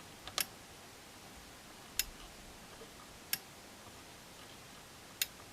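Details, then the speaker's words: 12 V relay driven by a two-stage NPN amplifier (2× BC547B) with a negative input voltage set by a 47k potentiometer: four crisp, sharp clicks about a second apart as the relay activates and deactivates; normal relay switching. "you hear the clicks activation deactivation let's look here so this is what happens in the circuit"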